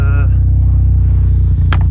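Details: Mazda RX7 FC3S with mild street-ported rotary, outside warming up after timing adjustment removed earlier brappiness: deep low rumble pulsing evenly with only a faint occasional flutter, smooth settled idle; normal idle.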